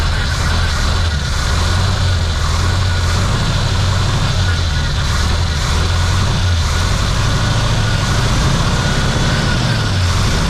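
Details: 1972 Chevy C50 big-block V8 rollback, first start after sitting several years, on choke: runs loud and steady with an even low rumble, no knocks or misses; oil pressure up, battery charging, healthy running.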